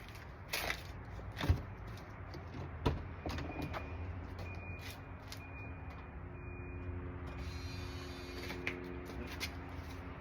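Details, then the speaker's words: Volvo 240 wagon after replacing fuel pump and fuel filter, ignition on: a few clicks then faint steady even electric hum; new fuel pump priming normally, checking for leaks. "You can hear the pump turn on, that's good. We'll just let it run."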